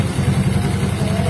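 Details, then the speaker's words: Yamaha Mio Soul GT 125, about 4–5 years old, after cleaning the CVT where sticky bosses caused a tek-tek ticking: steady low putter with no ticking from the belt drive, smooth idle; the noise is cured. "Itu dia bunyinya setelah proses pembersihan ya, langsung otomatis tidak bunyi tek tek tek tek lagi, auto sembuh."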